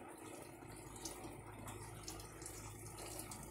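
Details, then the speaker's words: Mueller Energy 8kg automatic washing machine, new, first wash, 40-minute cycle, medium water level, connected to tap line: filling automatically; quiet, steady splashing of water into drum, no valve chatter or pump strain; normal water fill. "a água já está já está ligado à linha torneira é comer automático ela mesma vai ela vai encher a água"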